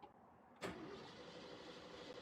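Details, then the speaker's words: 1977 Jeep CJ5 with AMC V8 and dusty, dirty quadrajet carburetor cranks with a dull steady churn but won't fire, spark lost; flooded, later cleared and started, engine floods easily if gas pedal is stomped. "oh come on people we lose spark oh she's flooded she's flooded"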